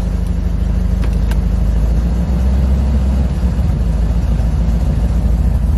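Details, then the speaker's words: C4 Corvette with a mild cam idling after the throttle position sensor was adjusted to 5.4 and the coolant temperature sensor replaced: steady, slightly lumpy, even idle with no knocking or ticking. Idle much improved and normal. "I think that might be a good idle for it I don't know let me close this down right quick and move it up but it really sounds like it's back at the right idem cuz I put it at 5.4 oh yeah this much better this is much better"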